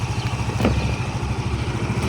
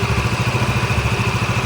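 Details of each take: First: Yamaha Mio MXi 125, one month after overhaul with new connecting rod, cylinder block and side bearing, at idle: even thump with light tinny clatter on each beat from a loose body casing vibrating, not the engine. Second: Yamaha Mio MXi 125, one month after overhaul with new connecting rod, cylinder block and side bearing: steady even single-cylinder idle putter about ten beats a second, no knock or rattle; idles clean.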